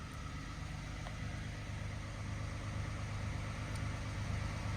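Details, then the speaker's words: Peugeot 107 automatic small petrol engine, 23,500 miles, only 1,000 in the last year, idling after ignition barrel work, service still due: quiet, even low hum with no knocks or misses; normal idle. "looks like in this case it is absolutely paid off cuz that is ticking over lovely"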